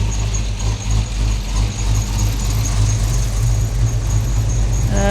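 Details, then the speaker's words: Idling engine nearing 220 degrees with no cooling fan hooked up, rear main seal leaking oil: thin, high squeak chirping about three times a second from a coolant-soaked belt, after a disconnected MAP sensor was reconnected. "And now I got a squeaky belt because I got coolant all over it and I'm still leaking oil from my rear main seal."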